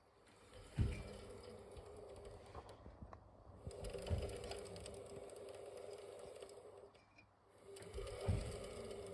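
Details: Beko Aquatech WMY91466AQ washing machine inverter motor humming with fast light clicking from motor bearings; the wavy tension ring in the rear bearing housing was bent wider, which solved it.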